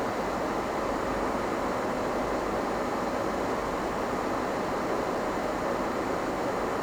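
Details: HP EVA6000 disk storage rack with four full disk shelves powering up: loud, even rushing-air roar with no rise or fall, fans running flat out; normal.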